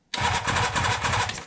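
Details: 1976 Suzuki GT750 with no spark, ignition on and neutral light lit, coil troubleshooting: short even cranking burst about 1.5 seconds, engine spins but never catches; cause not yet confirmed.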